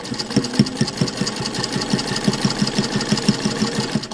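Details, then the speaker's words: Singer 1591 direct-drive vintage sewing machine stitching layers of muslin for a face mask. Quick, even stitch clatter at a steady pace, motor holding speed with no labouring or grinding; healthy machine under heavy load. "i wouldn't even think of going through six layers of muslin with the brother it would probably do it but you're fighting the machine or you're trying to get it to do it when with a vintage machine especially the 1591 or the 201 that doesn't even come into it"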